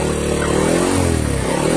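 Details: Honda Supra 100 motorcycle after engine rebuild for rough noise, oil from the spark plug hole and white exhaust smoke, with oil circulation to the cylinder head confirmed: small single revs rise and fall cleanly, no knock, rattle or misfire; healthy.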